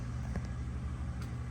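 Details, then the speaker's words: Dishwasher drain test after installing a new drain pump (dishwasher would not drain): low steady motor hum with faint water gurgle, no rattles or grinding, pulling all the water out, tub left dry. Normal drain pump operation. "It is draining as I speak. Sucking all that water out. Wow."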